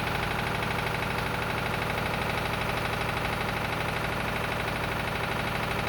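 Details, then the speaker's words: Lister emergency air-compressor diesel on the M/V Steve Irwin warming up before loading: steady, even chugging about three beats a second, no knocks or missed beats; normal diesel idle. "it's all looking and sounding good so we going to the next scene put it under load so it presses air and see how it performs"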